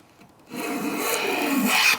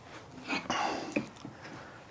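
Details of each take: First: Long hand plane planing a vise-held board with the grain: one steady, unbroken rasping stroke of about a second and a half with no skips. The board is planed flat. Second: Long hand plane planing a vise-held board with the grain: rasping strokes drop out briefly mid-pass before biting again. The blade is skipping over a dip in the board.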